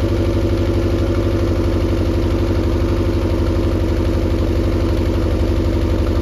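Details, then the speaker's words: Mercury 90 hp outboard on a Shetland 535 boat, top speed only about 40 km/h; run with spark plugs pulled to test; uneven, lumpy idle with loping beat about four per second, suspected cylinder not firing. "so I come up with okay why not just start it up pull out the the spark plugs and here's the result"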